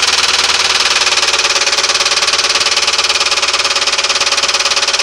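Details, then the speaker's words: 1996 Ford Crown Victoria with 170,000 miles: loud, rapid, steady knocking at idle, traced by stethoscope to the bell housing. Timing gear and valves were checked and found fine. Owner is 99.9% sure the flex plate is cracked. "What it is is a flex plate that's cracked. I'm 99.9% sure."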